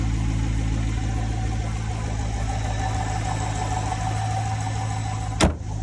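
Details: Chevrolet Corvette C7 (2014–2019) manual, after starter replaced for a no-crank no-start: steady even low V8 idle, smooth unbroken beat, no misses or knocks; running healthy.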